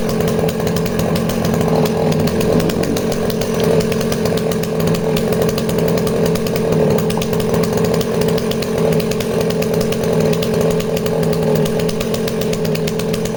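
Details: Danarm 36 "hot rod" chainsaw with stainless steel exhaust, held hard in wood: steady strong buzz without stumbles; intermittent off-load misfire disappears once loaded, runs clean.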